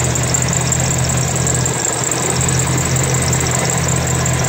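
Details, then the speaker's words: 1992 Chevrolet S10 2.5 fuel-injected Iron Duke four-cylinder, 164,689 miles, seemingly passed compression check: steady even idle with constant low thrum, no misses or knocks; runs smooth and strong. "I have a complete running 2.5 Fortec. It's basically an Iron Duke, fuel injected, 92 S10, and it runs solid."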